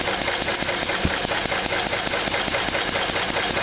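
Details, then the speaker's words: Lister D single-cylinder stationary engine, run after a few days idle with fresh oil: steady even beat just over two a second, crisp valve clicks; owner estimates around 700 rpm, maybe slightly slow; running smooth now. "you just have keep playing with it didn't Dr you know Li once there but it's running quite well now is it"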